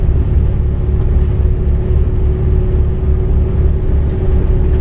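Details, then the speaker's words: 1959 El Camino 348 V8 with tri-power, around 200,000 miles, carb set up for a 283. Steady miss while cruising but idles fine, with good compression and spark; faint uneven stumble with whine. Bad lifter or camshaft suspected, not confirmed. "It's got a definite miss. Yeah, I can hear it."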